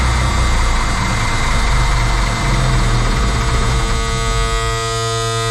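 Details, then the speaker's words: M35A2 military truck after sitting long, cranked on ether: loud rough cranking churn, brief rising catch that fades; runs only on ether, no smoke, fuel in tank but seemingly not getting fuel; cranks but won't start. "try again running on ether but that's about it one more time [Music] well looks what was that sounds like you're not getting fuel yeah uh the other one I'd get a little bit of smoke this one's getting no fuel"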